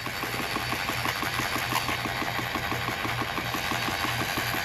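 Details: 2013 Mercury 250 Pro XS Optimax outboard on the flusher after a Chris Carson carbon fiber reed valve upgrade: even, fast chugging idle with a steady low hum and light ticking over a hissy flush; a normal smooth idle.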